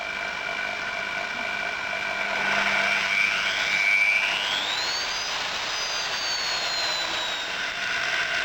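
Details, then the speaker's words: Old single-speed electric drill on a voltage-based motor speed controller: motor whine drops low then climbs smoothly as speed is brought up gradually; normal even variable-speed running. "you can slow the drool right down to a slow speed and gradually speed it up how useful is that"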